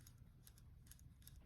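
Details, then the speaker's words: Old transmission range sensor removed from a Gen 1 Honda Ridgeline, turned by hand through its positions: faint, uneven, gritty clicks, weak detent from first through neutral and reverse to neutral terrible; worn sensor, replacement advised if yours sounds like this. "reverse to neutral is like terrible. So it's supposed to make this kind of noise on every single one of them. So if your sounds like that, you probably should replace it."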